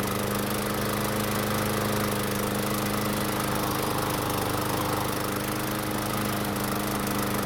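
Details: Toro commercial mower single-cylinder engine after a tune-up, oil not overfilled, smoked at the start: steady buzzing run with an uneven, lumpy beat; rough running, owner suspects piston ring wear, cause not confirmed.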